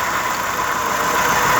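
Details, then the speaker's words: 2005 Nissan Sentra 1.8 with code P0304, coil-disconnect test at idle: uneven idle with a faint stumble and little change when a coil drops out. Cylinders 1 and 4 seem to contribute weakly, so a relative compression check is planned. "si fallas está contribuyendo un poco pero no tanto este falla más este extraño estos dos están extraños aunque el código es para el 4 el 1 siento que no está contribuyendo bien"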